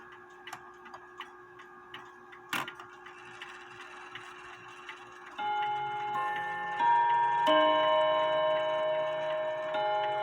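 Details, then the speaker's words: Seth Thomas Sonora clock with balance escapement: steady tick near two per second that keeps good time, then bright bell strikes on three hammers; it ticks and strikes properly. "as you can see it's ticking away it keeps really good time"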